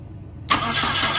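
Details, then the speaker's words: 2001 Saturn L200, key bumped after a fuse check: the starter spins the engine briskly with full, even cranking and plenty of compression, but it never fires. Crank no-start; a crank sensor was suggested by someone else, cause not confirmed. "ignition so as y'all can hear it he got plenty compression it's not a mechanical issue"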